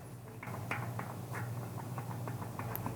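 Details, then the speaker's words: Bicycle hub in an axle vise after a deliberate overshoot during cone adjustment: light, irregular clicking knocks over a low hum, hub too loose with bearing play. "you hear that knocking too loose i overshot way overshot so we're back to the jiggles not good"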